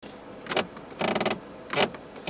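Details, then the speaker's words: Subaru BRZ interior: four short creaky rattling bursts, one with each rock of the body, about every half second; owner blames cheap interior trim and says it didn't rattle before. "guys hear that what is that like it sounds like i'm in a goddamn boat rock them back and forth"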